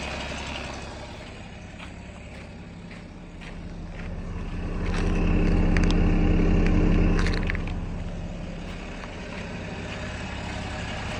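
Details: BMW with M57 diesel engine idling with a steady rhythmic knock about four a second, swelling louder at times; big knock only when oil cap opened, pointing to the vacuum pump, described as harmless.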